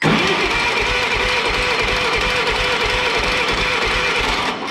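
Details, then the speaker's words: Old Yazoo commercial zero-turn mower with 76-inch deck, sat in a barn for years, non-original ignition: even starter cranking at about five beats a second that never fires; turns over fine but no spark. "Yeah, you see how this isn't lighting up? There's no spark. So we don't have any spark."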